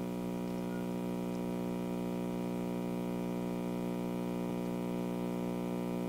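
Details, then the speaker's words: 1957 GE Model 875 vacuum tube radio (All-American Five), powered up slowly on a variac: steady low 60 Hz hum from the speaker with no station and no change in pitch, getting through the big brown filter capacitor, which is to be replaced. "hum getting through that filter capacitor right there that big brown one so we'll eliminate that by replacing that as you hear it humming i'm going to turn the tuning"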